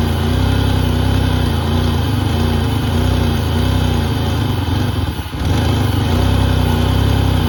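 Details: 1988 Pontiac Firebird 2.8 L GM V6 with 230,000 miles, first start after about 13 years sitting: steady, even idle with smooth low drone and one brief dip, settling back and running fine.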